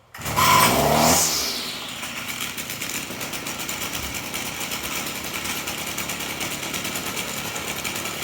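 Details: Stihl FS38 trimmer at idle: a buzzy rattle with a thin high squeal from the clutch drum, whose bushing was found dry.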